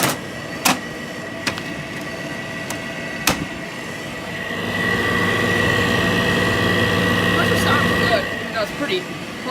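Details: Air conditioner unit at start-up: a few knocks, then a steady hum with a thin high whine riding on it; worn fan motor bearings.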